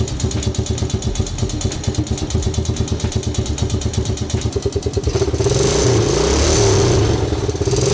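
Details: Old forgotten Honda engine at its first start: regular firing beat at idle, then picks up into an even rev with no knocking or misses; running fine.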